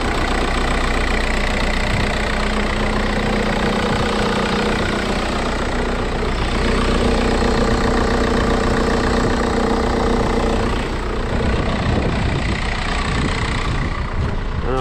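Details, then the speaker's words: Junkyard MK4 VW Golf TDI Wagon diesel started at idle: even idle with light regular injector clatter, no misses or heavy knocks, sounds healthy; only fault seen is a loose tensioner; normal idle. "yeah turns on nicely you see it taken I mean it sounds healthy"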